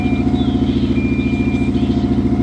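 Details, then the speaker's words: Plugged-in Subaru manual right after a -23.8° cold start, clutch released: steady pulsing idle with a thin constant transmission whine; cause unknown. "don't know if you can hear that transmission whining right now"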